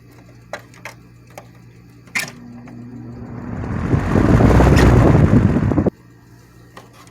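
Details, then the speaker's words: 1987 Patton CA-1284 12-inch rotary box fan, after repairing a worn sleeve bearing and oiling it with sewing machine oil: a soft whir building smoothly and holding steady, no squeal or rattle. Normal fan running. "okay awesome looks like this came in full circle after all everything is working properly"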